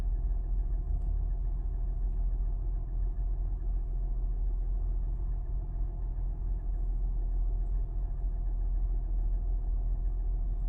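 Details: Toyota 1GR-FE V6 at idle: uneven light knock repeating about every third of a second over a steady low rumble; engine knock, cause unclear.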